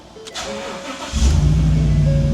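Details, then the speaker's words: 2015 Ford F250, salvage auction supposed flood car, restarted with second key after Forscan programming: short crank, V8 catches straight away into a steady even idle, faint chime; fires right up, healthy. "Fired right up, that's fantastic."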